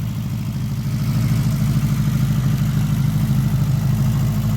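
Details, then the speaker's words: 1979 Honda GL1000 Goldwing first start after carburetor rebuild, points and timing not yet set; even idle with light quick ticking about three per second on one side, valve tick; that side not smoking. "I I noticed we got a little bit of a valve tick on this side gets kind of loud there so gotta address that situation but that's expected this side's not smoking"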